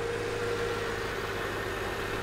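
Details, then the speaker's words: Mercedes R230 bought cheap from Copart, started after rebuild work: steady, smooth idle with an even low hum and no ticks, misses or surging; engine running healthy. "She has risen from the ashes. Let's listen to the engine. Look at that. She's alive."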